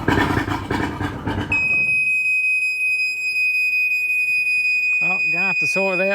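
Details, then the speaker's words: Two-stroke outboard on a tinny, long unused, running on roughly 20:1 petrol-oil mix with no smoke: a continuous, slightly pulsing shrill warning alarm over a quiet motor; owner suspects overheat, not confirmed. "I haven't had any luck sorting out the alarm on this thing. I I think it may be overheat."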